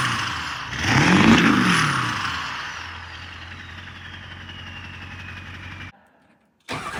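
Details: Ford 7.3 Powerstroke diesel after owner's engine swap: short starter whirr, catches at once and settles into steady even low idle, no knocks or misses; healthy.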